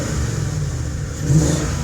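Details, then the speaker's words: BMW M62TU V8 after replacing timing chain guides, with dual exhaust; runs with a low steady burble and a slight swell in revs, no ticking or rattle on top; engine running clean and healthy after reassembly. "So there it is running. If you're wondering why that sounds nice, it's a nice sounding BMW."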